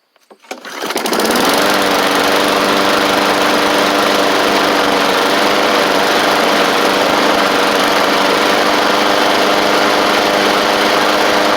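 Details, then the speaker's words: Bolens push mower with Briggs Classic engine after a new Hipa carburetor tune-up kit, throttle worked back and forth quickly to check the diaphragm: steady, even drone with a constant pitch, no sputter or surging; normal running. "it's really good the reason why I go back and forth really fast is usually if this if it's starting to sputter or whatnot whenever you do that that means the diaphragms on its way out"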